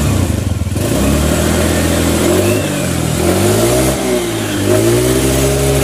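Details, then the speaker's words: Suzuki Nex automatic scooter after fitting the roller housing to cure judder ("gredek") when rolling off and back on the throttle. Revs rise and fall smoothly with no judder or rattle; engine now much smoother, fault gone. "gredek-gredeknya jadi di sini untuk nggek-gek nya sudah hilang bunyi mesin pun jauh lebih halus"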